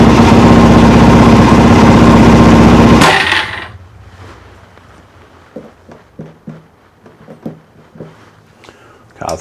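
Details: Motorcycle just after a carburettor rebuild, untuned and possibly running lean: engine runs steady for about three seconds, then cuts out abruptly into clicks and ticking; stalling, owner suspects fuel supply.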